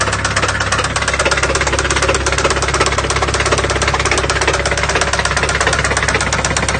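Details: Honda Civic at idle: heavy, evenly spaced knocking about three blows a second over a rough-running engine, a badly worn connecting rod bearing; rod described as going through the block.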